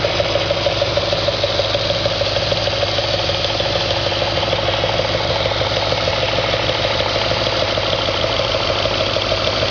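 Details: 2004 Audi S4 4.2L engine at idle, gauge showing over 100 psi at idle: a steady, even ticking knock from inside the engine, roughly three per second, over a smooth idle; engine knock of undetermined cause.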